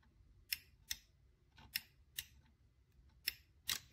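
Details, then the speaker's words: PSAP.3 positioner on a PSR-E-C actuator during commissioning, hand wheel turned to the open position: crisp, sharp clicks in loose pairs as the limit micro switch trips at the end position; normal. "this noise this clicking when achieving the limit"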